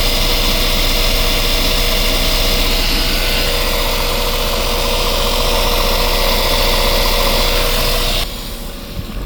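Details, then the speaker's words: Westerbeke marine diesel generator on a Boston Whaler that slowly overheats after 45+ minutes, impeller good: a steady, even beat at constant speed with no knocks or misses and good cooling water flow, dropping off near the end. "She's definitely pumping good water. Good water flow."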